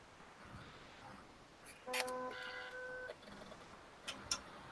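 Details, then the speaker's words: 3D-printer filament splicer (palette): loud buzzing motor grind lasting about a second after the filament broke; it contorts filament into a hard turn into the cutter, and its wheels are loose as far out as they go. "Hear that grinding? That's the only problem with this thing. And it's a pretty good sized problem."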